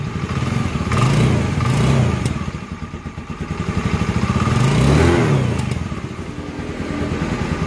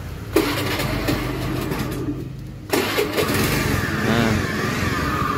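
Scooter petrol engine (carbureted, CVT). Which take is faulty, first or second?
second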